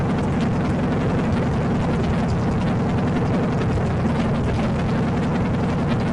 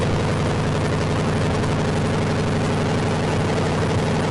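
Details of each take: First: Salvage-yard AMC 360 (5.9L) V8 from a Jeep J10, newly installed in a 1976 AMC Gremlin, during break-in: steady, even drone at constant fast idle, no knocks, ticks or misses; break-in went great, temperature and oil pressure monitored. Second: AMC 360 5.9L V8 swap in 1976 AMC Gremlin, start attempt with fluids filled: fast, even idle with no drop back, because throttle linkage doesn't return. High idle from sticking throttle linkage.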